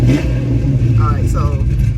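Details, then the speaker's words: Pontiac GTO, warmed up after sitting over a week, before changing the spark plugs: idle holds, but on light throttle tip-in the revs sag and stumble as if about to die. Owner suspects the spark plugs; not confirmed. "see that it's almost like he's about to die you get a little stumble once I hit it"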